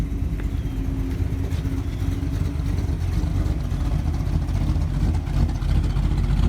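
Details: 1948 Mercury coupe V8, warming with oil pressure 60 psi: even, steady idle with a smooth low burble and no knocks or misses. Normal idle.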